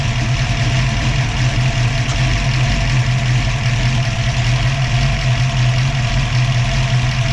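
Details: Ford 302 V8 with an Autolite 4100/2100 carburetor idles steady, smooth and slightly raised with the A/C on. A 1980-85 Bronco idle-up solenoid with a 2010 Ranger IMRC vacuum valve provides the idle-up.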